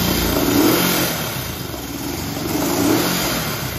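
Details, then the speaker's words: 1965 Honda CB77 Super Hawk twin after restoration, second start, carburettors not yet dialed in, idle target 800–1,000 rpm: blips up and sags back in slow, ragged swells and dies off throttle; uneven revving, needs carb and idle adjustment. "Let's hit the gas. Let's hit it. Yeah, gotta get the carbs going."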